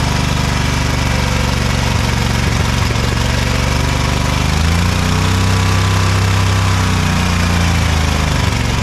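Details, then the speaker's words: Ariens-made Ever Ride Hornet zero-turn, 25 hp Briggs & Stratton twin, sat outside about a year: uneven lumpy beat with stumbles over a low drone; misfire, one spark plug gap nearly closed with carbon. "I'd say that one wasn't firing too good the Gap is about closed up with carbon so that would be part of our issue"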